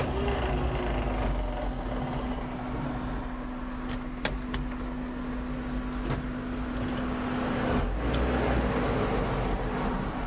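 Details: Suzuki Jimny fitted with a Suzuki SJ413 transfer case with 4.16 super-low reduction: steady low whine near 240 Hz while running; owner unsure whether the transfer case or the driveshaft is the source.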